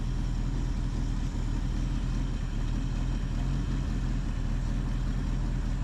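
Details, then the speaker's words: 1976 Ford Ranchero 500 after new timing chain, timing set and oil pump install, no intake leaks: deep, even, smoother idle, cam felt working, no ticking or knocking; normal idle. "boy it really runs good I can tell the difference smoother you can hear and feel the cam doing its job"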